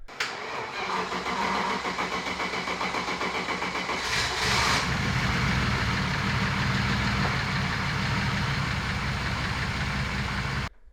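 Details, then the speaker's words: Turbo BMW E36 after an engine-bay fire while drifting and a replacement harness; engine settles into a lumpy uneven idle, stumbling about four times a second. Misfire on cylinder 2, not the plug or coil. "it was still misfiring. So I was trying to figure out what was going on."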